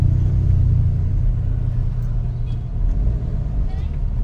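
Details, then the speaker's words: Nissan X-Trail driving after replacing the stabilizer link for a suspension clunk: steady low rumble with no knocks or clunks remaining. "ngayon kinabit na po yung bago mga sir Diretso tayo wala na ma'am Okay mga kaab mga sir Wala tunog"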